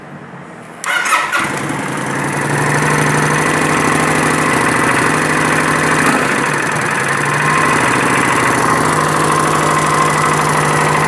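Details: 2011 Kawasaki Vulcan 900 after start-up, settling to idle: rapid regular tapping about four per second from the pulley cover; owner plans to remove tank and valve cover to check cam chain slack, suspecting the cam chain tensioner.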